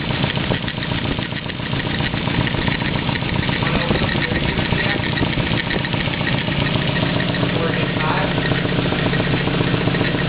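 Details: 240 right after an engine swap, idling: uneven rhythm with two odd noises, one hard to describe and a faint flapping tick like a card in bicycle spokes; source unidentified.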